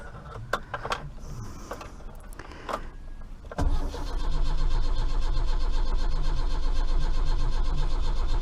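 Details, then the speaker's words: Austin Maxi, first start after about three months sitting, owner suspects points need cleaning: long weak cranking, then it catches into a lumpy, uneven, popping beat, running on only a few cylinders; misfire. "she's trying she's trying she's running on a few cylinders she's trying she's popping a bit oh yeah she's popping"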